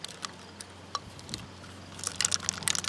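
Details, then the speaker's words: Electric ATV motor controller for a 2000W brushless motor on a 48V battery, after it popped during a range test: light irregular ticks, then sharp clicky rattling when shaken; something newly loose inside. "hear that yeah there's something in there now that's loose that wasn't before so that means uh i'm gonna take this apart"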